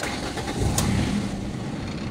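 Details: Ford Escape 2003 manual that died while driving and would not crank or start; after cleaning grounds and replacing the coil: short crank, then catches and rises into a steady idle, starting cleanly.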